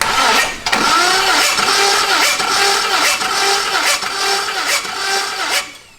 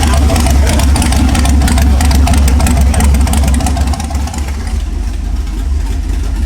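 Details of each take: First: 5.3 LS-swapped Ford Ranger after cam install, during compression test with lifters not yet pumped up: starter churns steadily with soft, even compression pulses about once a second and never catches; low compression. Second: 5.3 LS-swapped Ford Ranger with new cam, now running on all eight cylinders after coil packs, wires, plugs and tuning changes: deep, steady V8 idle with even cammed lope, no stumble; normal idle.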